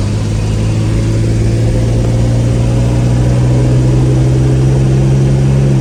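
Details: 1968 Jaguar 420G after engine reinstalled, started and revved around 1500 RPM: deep, steady engine note building evenly and smoothly with throttle, no knocks or misses; healthy engine, though the transmission later loses gears.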